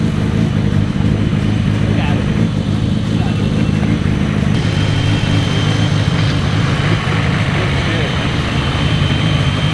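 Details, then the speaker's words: First start of a freshly built engine with one muffler, G25-550 turbo and downpipe: firm, even idle with slight cam lope, head nice and quiet, no ticks or knocks; sounds healthy. "the engine sounds so good the head's nice and quiet"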